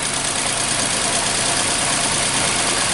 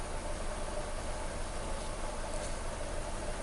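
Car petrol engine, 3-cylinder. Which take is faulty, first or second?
first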